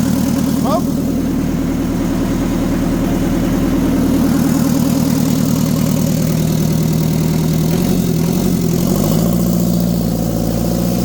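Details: Mitsubishi FD25 forklift diesel (S4E) first start after injection pump timing correction, new glow plugs and injectors; glow plugs keyed manually, catches at once without ether and settles into a steady even idle clatter, speed wavering slightly; previously smoked badly, no power.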